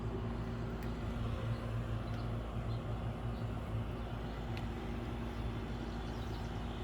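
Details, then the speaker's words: Central AC outdoor unit running during a weeks-long heat wave that reached the high 90s the week before; owner says it sounds pretty good and more level than last year. Steady low hum, constant tone, no rattles or squeals; normal running. "The central sounds pretty good. It's more leveled than it was last year."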